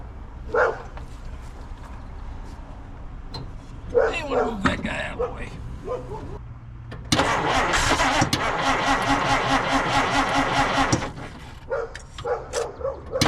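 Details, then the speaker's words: Dodge Meadowbrook swapped to a 6-volt battery: the starter cranks for about four seconds at a lazy, uneven pace, clearly slower than before. The ammeter reads happier afterwards, and a strong fuel smell is noted. "Okay, you can hear that it uh didn't spin over nearly as fast."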